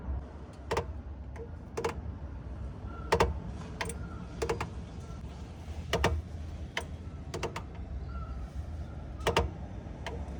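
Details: 2022 Suzuki Jimny: sharp irregular ticks about once a second over a low steady engine hum; clutch-area ticking noise, cause unknown.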